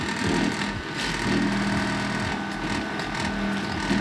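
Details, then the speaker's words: Samsung M197DNR microwave running a 30-minute water test after relay, capacitor and chip replacement on the control board: steady drone with a slightly uneven whir and faint rattle over the oven hum; a fan problem is suspected, not confirmed. "где-то у нас с вентилятором проблема ещё надо будет"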